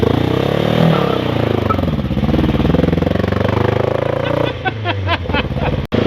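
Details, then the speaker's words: 1990 Nissan 240SX: uneven stumbling idle, idling high, with beats dropping out of the rhythm; misfire traced to a faulty set of injector wires/plugs. "it definitely missing it's not having it not happy"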